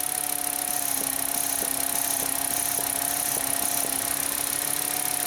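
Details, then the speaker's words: VW Jetta 2.5L five-cylinder, engine running, new EVAP purge solenoid installed: light, fairly even ticking about three times a second over engine hiss as the valve opens and closes; old one stuck open caused stalling after refueling (P0455). "you can't hear it trust me the cylinders opening and closing whereas before it was open all the time"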